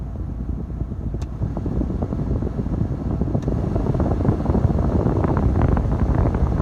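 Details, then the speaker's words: Foton Tunland 4x4 double cab, 2.8 Cummins ISF diesel idling, cabin blower stepped up through speeds 2–4, then aircon switched on: steady air rush building with speed, no rattle or squeal; normal blower fan operation. "Let me just blow the normal fan. It can now. I'm not sure if you can hear the huffing sound."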